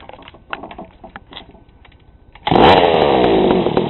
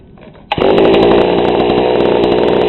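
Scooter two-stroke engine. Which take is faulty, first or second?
first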